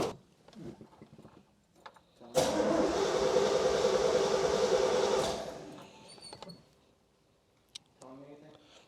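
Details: 1967 Pontiac GTO on Haltech EFI, restarted after sitting through winter: starter cranks the engine at a quick, even rhythm for about three seconds but it never fires; ECU receives no crank trigger signal, owner may switch to a front-crank trigger.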